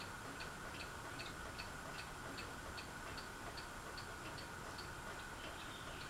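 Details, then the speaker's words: Fasco Vanity Fair ceiling fan with a broken flywheel, running on low: light, regular ticking about 2.5 times a second over a quiet hum from the loose motor housing. The owner thinks someone tried to remove the flywheel. "the reason why the housing is so loose is what is because I think they were trying to get the flywheel off and like repair and stuff something that's why it's so loose"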